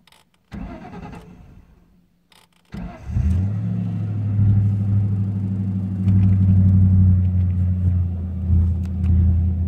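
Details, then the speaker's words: 1998 Mustang GT 4.6 V8 after fuel filter change and MAF cleaning, started cold: cranks a couple of seconds before catching, then an uneven, surging, stumbling idle with misfire; runs fine warm, cause unknown. "starting it dislike it just like she doesn't want to start she's kind of missing"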